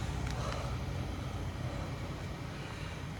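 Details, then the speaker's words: Traxxas Maxx Wide Kit RC truck, driving after its center diff grinding fix: even electric motor hum with wind, no grinding or clicking; the drivetrain now runs smooth and healthy. "wide max is back problem solved"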